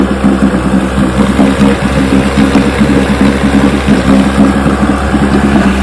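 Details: 1960 Johnson 10 hp outboard after gearcase rebuild, carburetor high and low speed needles just turned in: steady burble with a small stumble on acceleration and a lean sneeze at low idle; backing out a quarter turn improved it. Hesitation on acceleration.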